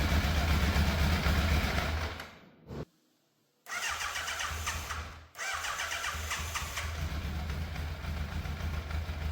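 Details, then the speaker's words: Fire-damaged Yamaha FZ750 four, 41,000 miles, choke fully off, idle hard to set: uneven stumbling idle with stalls and restarts; misfire, middle two cylinders' exhausts cooler than outer two, cause unconfirmed, needs adjustment. "The engine does sound like it's missing a little bit, and based on how much heat I can feel coming off some of the exhausts, the middle 2 exhausts, or the exhausts coming off the middle 2 cylinders are a bit cooler than the outer 2 now"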